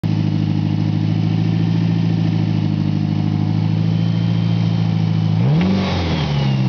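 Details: 1991 Eclipse with work done, at idle then a quick throttle blip: fast, fine tapping; recently developed noise, owner suspects rod knock, cause unconfirmed.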